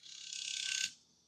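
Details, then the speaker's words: Wii with a bad disc drive: thin fast whirring buzz as the drive motor spins freely when eject is pressed, then dies away; the disc still fails to eject. "He violently spins. It still doesn't eject."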